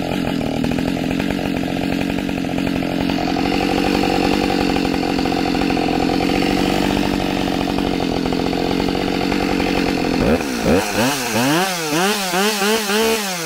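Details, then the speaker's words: Husqvarna 572XP autotune chainsaw cutting punky, rotten white pine, already used for a few cuts but before the idle-adjustment procedure: it pulls steadily through the cut, then revs hunt unevenly as the autotune is still adjusting. "i don't know if you can hear the saw at the beginning it was trying to figure stuff out"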